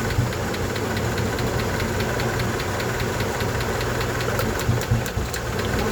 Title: help me ticking noise honda 88